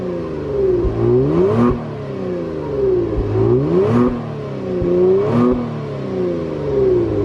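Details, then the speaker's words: 2019 Kia Stinger GT1 twin-turbo V6 at about 1 year and 10,000 miles, heard from the rear: three clean throttle blips rising smoothly and settling back to steady idle, no knock, rattle or hesitation; normal rev. "so while we're back here we probably should hear what this twin turbo v6 sounds like right let's crank it"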